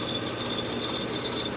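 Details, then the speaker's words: 2011 Mercedes-Benz C-Class, probably C300, at idle: loud, piercing, continuous squeak from the front belt drive; needs an idler pulley, likely a dry pulley bearing. "Yeah, we need a definite idler pulley. That's really squeaky."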